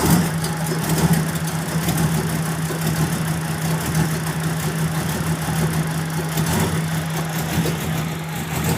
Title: 94 Mustang Rough Idle